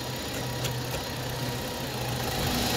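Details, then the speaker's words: Hyundai Grandeur/Kia Opirus, after rerouting the serpentine fan belt around the auto tensioner, engine running in drive while steering: steady even hum, no chirp, squeal or rattle; normal belt drive running. "What do you think? There's no sound at all I just changed the way I put the belt on, but it doesn't make any sound"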